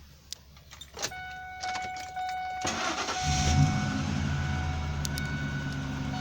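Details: 2001 Ford F-150 SuperCrew 4x4, 5.4 Triton V8 with new long block at about 11,500 miles, cold air intake, 6-inch lift: brief crank, then catches and settles into steady, even low rumble, no knocks or misses.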